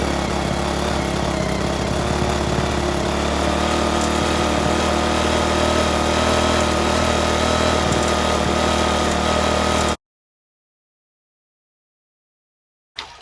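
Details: Restored rusty 3.5 hp Briggs and Stratton single-cylinder flathead (new gaskets, filter, spark plug), first run after rebuild: a steady, even putter at a fixed speed with no knocks or misses; compression very good, normal running.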